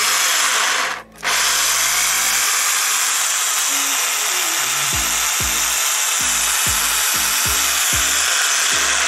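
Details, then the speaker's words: Bosch PSB 500 500 W drill after repairing a seized, non-turning chuck (cleaned, lubricated, reassembled): steady high-pitched motor whir holding speed evenly; bearings make some noise, replacement deferred; drill runs properly. "arkadaşlar, matkabımız çalışıyor."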